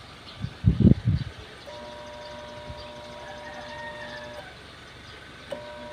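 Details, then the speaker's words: Sharp single-tub washing machine, disassembled: motor gives a steady electrical hum but never spins; grounded-motor fault, dangerous to repair live. "Ayun kapansinpansin niyo po mga pars umuugong lang po yung ating makina"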